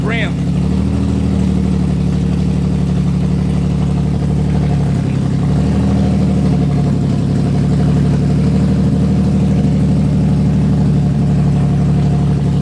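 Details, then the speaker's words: Infiniti G35 idling after a starting problem was traced to one wire, with no exhaust or cat, just straight headers: deep, steady, even idle with a loud raw bark and no misses; runs cleanly but very loud. "so she runs but she runs these challenges loud as hell but we didn't have you know i don't have an exhaust or a cat or it's just straight header"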